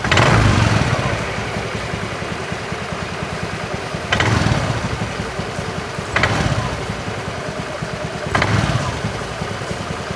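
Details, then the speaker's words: Honda Beat FI eSP scooter at low idle: rough clattery "kletek-klotok" rattle from the CVT, not very severe, swelling each time the throttle is blipped slightly from idle, then settling as revs drop; worn, loose roller sliders in the CVT. "Hai beach FH ESP Eko suara pada bagian CVT nya retak-retak Hai klotok-klotok tetapi enggak begitu parah-parah amat ya teman-teman"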